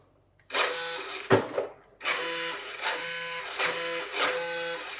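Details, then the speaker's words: 1/10 CMJ Range Rover Sport toy RC car, two-wheel drive, driven indoors in a kitchen: short repeated bursts of buzzy electric whine, about one a second, each cutting off sharply; the steering servo makes an abnormal, straining noise. "let's try the kitchen instead right let's give it a go inside see if it does any better got that horrible horrible servo noise"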